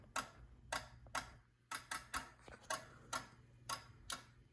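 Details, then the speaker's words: Fire alarm system test, CO strobe notification circuit activated: crisp, even clicks about once a second in a quiet room; strobe sync is clicking normally. "as you can see that control module has turned on and you can hear our strobe sync clicking"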